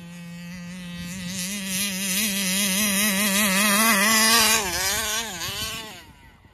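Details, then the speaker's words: Taylor RC 35cc reed-valve two-stroke in the Punisher RC car, newly installed, tuning at fairgrounds: high-revving buzz wavers up and down though throttle held wide open; surging at full throttle, won't idle, owner suspects carburetor and plans to swap it. "it sounds like I'm letting off the [Music] throttle I had it pin the whole time"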